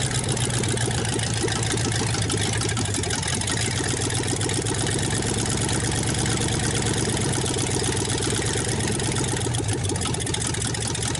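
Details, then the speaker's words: 1954 Ford Y-block 239 V8, first start in 20+ years, earlier cranking sounded flooded: steady, even idle with loud raspy exhaust, very little smoke, no knocking or lifter tick; healthy old engine. "nothing wrong with that Indian very little smoke no knocking I don't hear no lifter staff"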